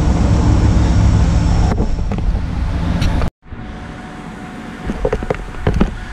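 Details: 1997 Camaro 3.8 that sat over 10 years, started after a new fuel pump install. It catches and holds a steady low rumble before cutting off. It runs but needs fresh gas.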